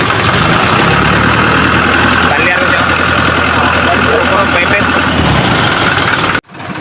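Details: Isuzu 4HL1 diesel before repair: long crank then uneven chugging, beat stumbling about four a second and never settling; hard starting and rough running, fuel pump needs priming, crank sensor suspected.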